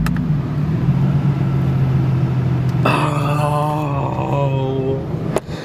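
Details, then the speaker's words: 1975 Toyota Celica with 3SGE BEAMS engine swap: engine hum sags and labours, then a wavering high squeal as it nearly stalls whenever the AC engages; seized AC compressor. "my ac compressor seized dude my ac compressor was seized"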